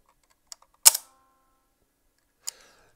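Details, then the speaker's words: Fuji GW690 III medium-format leaf-shutter camera with the back open: a sharp mechanical snap then a brief metallic ringing ping, like a spring recoil, on firing; owner suspects the frame counter, unconfirmed. Finding: ping on shutter firing. "can you hear that sort of ping it's a pinging sound"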